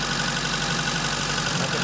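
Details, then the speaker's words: 1986 Fiat 147 1300 on alcohol fuel at slightly fast cold idle: light, quick valve ticking, the usual characteristic noise for this engine and not a fault; idle settles as it warms. "é de característica esse barulho de válvula trabalhando se é super comum desse motor"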